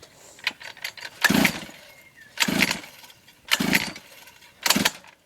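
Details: Three-month-old Orion mini dirt bike: four pull-start bursts about a second apart, each dying immediately with no catch; engine turns over but won't start, cause unknown.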